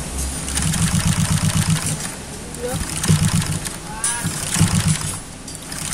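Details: Honda Vario 125 scooter bored up to 140cc with FIM piston, injector fitted, standard coil and electrics, first run after build: single-cylinder fires unevenly with lumpy stumbling beats over a low throb; runs rough, loose part found when checked hot.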